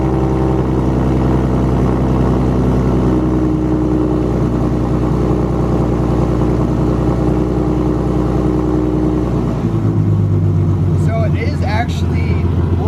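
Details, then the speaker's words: Mustang 3.7 V6 with M122 supercharger, first start after long tube header install: loud, deep steady rasp, pitch dropping near the end; exhaust leak heard. "But there is an exhaust leak, I can already hear it."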